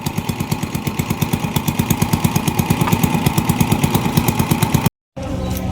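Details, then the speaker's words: Honda TMX 155 single-cylinder with hard starting and misfire, worse uphill, no pull, owner already replaced the CDI: steady idle with uneven, stumbling beats and dropped pulses; misfire whose main problem is the spark plug. "Wala pa kaming ginawang trouble shooting. So number one na problem niya yyung spark plug talaga"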